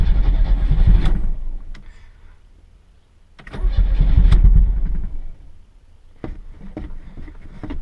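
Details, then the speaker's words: 1986 Chevrolet Chevette engine: two long bouts of slow rhythmic cranking, about four chugs a second, with only ragged stumbles after; hard starting, diesel-like and unhappy, won't catch properly. "Wants to start. It's just not happy, that's all. Sounds like a diesel."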